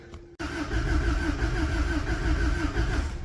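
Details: Cold snowy start on an old vehicle with a wiggled battery terminal, testing whether it pumps fuel: a click, then the starter churns unevenly at three beats a second for three seconds with no catch. Cranks, no start; cause unconfirmed.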